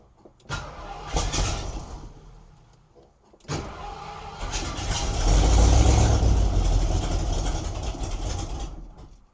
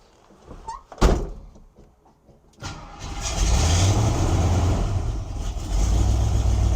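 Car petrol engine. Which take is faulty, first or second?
second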